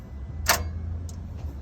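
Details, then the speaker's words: MCR machine with a flat battery and no jump pack, fuel pressure sensor disconnected to force fail-safe mode: one sharp starter click and faint relay ticks, no cranking. The battery is too flat to turn the starter. "Now the battery's still flat because we don't have the jump start on, but you can hear it trying to crank. It does that click and the relay clicks."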